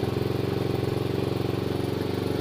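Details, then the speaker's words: 2016 Roketa 150cc scooter, just started cold after sitting a day: fast, even putter from the small single, idle held high because the enrichener (choke) is on during warm-up; normal. "right now the idle's really high. That's because the enrichener's on, and I'll leave it go for a while."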